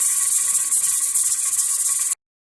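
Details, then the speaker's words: Pressure canner held at 10–11 pounds while canning chili: steady hiss pulsing lightly as the weight rocks, then stops; rocking shows proper pressure, while too strong means above pressure and none means too low. "you can listen to it so i can be working in the same area but as long as i can hear it i'll know whether it's at 11 pounds of pressure or not"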